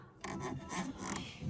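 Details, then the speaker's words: Western Tornado / Fisher Polycaster electric spinner spreader: short repeating raspy scrapes a few times a second as it turns; motor sits lower than the sprocket so the drive belt rubs its bottom edge from misalignment. "looks like the motor is lower then this sprocket here so the belts rubbing on the bottom Edge"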